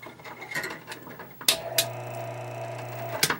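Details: Fedders 10k BTU air conditioner fan motor, just cleaned and oiled and its shaft realigned, briefly switched on: it clicks on, runs a steady even hum with a light mechanical whir for about two seconds, then switches off cleanly; healthy.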